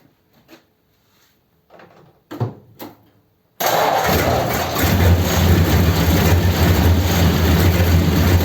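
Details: 1932 Ford sedan after fuel-line repair with high-pressure hose and oil topped up, started to check for leaks: quiet, then catches and settles into steady, even idle with no misses or knocks; healthy.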